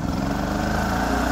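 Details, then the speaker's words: Kipor KGE3000TI inverter generator (2006) running after carburetor cleanout for a no-start: smooth, steady drone at constant speed with no hunting or stumbling; running as it should. "well everyone looks like I'm going to be able to end this video on a high note we have this Kipper generator running the way it should"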